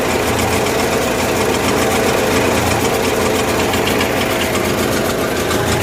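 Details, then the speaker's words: Kohler 7000 W gasoline generator in a 1963 GM PD4106 bus conversion, running with no load, choke about halfway: rough, uneven dense drone, super rich; carburetor fuel metering fault, later improved by tune-up with plugs gapped and points filed. "super rich it sounded good for the moment yesterday it even broke that exhaust strap"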